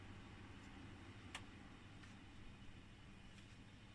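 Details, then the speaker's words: Ebac 660 dehumidifier after fan motor replaced with brand-new unit, fan speeds 1 and 2: quiet, even low hum with no rattle or scrape, strong airflow across coils; normal fan running. "Fan speed 1 is still fine. Fan speed 2 is also fine."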